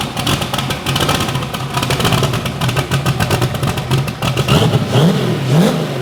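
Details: Bibbster hot rod V8 revving, fire-up after finishing the cooling system. The tune was richened to cure a slight idle surge and now runs fat; the cold-start setup may need changing. Deep rumble picks up cleanly on several blips and settles without stumbling: normal.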